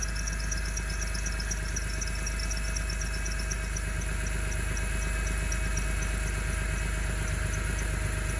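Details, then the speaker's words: 2003 BMW E46 M3 at steady idle, heard from under the car: the loud belt squeal stopped once deodorant was applied to the belt as a dressing, suggesting a bad belt, though a faint chirp lingers. "hey tick tock was right for once i guess the ankylosaurus deodorant thing kind of worked it kind of showed me that there was a belt that was really really sweeping so i guess you call it a successful car hack"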